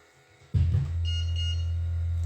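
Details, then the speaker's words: Rhythm Port oxygen concentrator: low steady hum, then a high beep with the yellow "breath required" light, since no breath yet through the nasal cannula; the alarm stops once nasal breathing triggers oxygen pulses. "You can still hear it beeping because we've not taken a breath through our nose."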